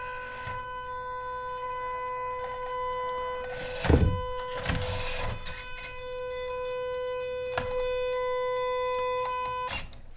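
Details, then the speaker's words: MN Model MN99S D90 RC crawler on bench with freshly charged battery, investigating loss of power while climbing: steady high-pitched whine with handling knocks, owner thinks it comes from the electronic speed control. "So that noise, I think that's electronic speed control."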